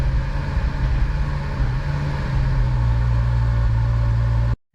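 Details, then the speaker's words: Ferrari FF after fitting an Antigravity lithium battery, cold start with windows down: deep, steady low rumble at cold idle settling into an even drone before cutting off; rumble persists after the battery change, cause not pinned down. "see if it still does that Rumble when it goes from cold starts of valve yeah still rumbling a"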